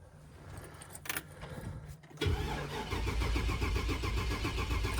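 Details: 2000 Chevy Express van with a crank no-start, cranked while scoping the crank sensor. The starter churns steadily at about four turns a second and never fires. The scanner shows no cranking RPM and a crank sensor out-of-range code. Cause is a failed engine control module.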